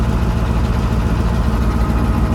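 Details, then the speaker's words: Allis-Chalmers AC 440 tractor diesel at idle after its loping problem was fixed with a fuel solenoid and a replacement fuel pump; unsure which made the difference. Even, steady low beat with no stumbling or hunting; it now idles as it should. "Yeah. So, it's idling like See, it's idling like it should now. >> We don't know if it was the solenoid or the fuel pump that made the difference, but it don't matter now."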